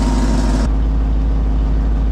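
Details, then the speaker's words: Truck engine idling, not fully hot, with a ridiculously loud, raw, puffing exhaust leak rumble while transmission fluid is being checked; truck had just run out of fuel and been refilled. "you hear that ridiculously loud exhaust leak just ignore that it's"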